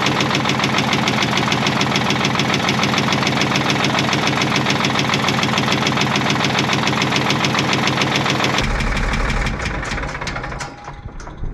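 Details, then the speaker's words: Caterpillar 977L with a 10.5L CAT diesel at idle: a sharp regular knock about three per second, oil pressure holding in the green. The noise seems to come from the back of the engine, and deactivating cylinder six made no difference. Cause unconfirmed. "oh yeah she's got some kind of knock there you go that sounds like a diesel knock to me"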